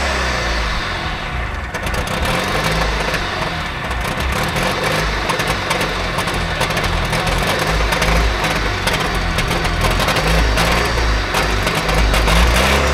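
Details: Trabant 601 two-stroke, recently bought, with a rust-seized wheel brake cylinder: revs unevenly, surging and sagging instead of holding a steady idle; owner says it doesn't run right; fuelling suspected.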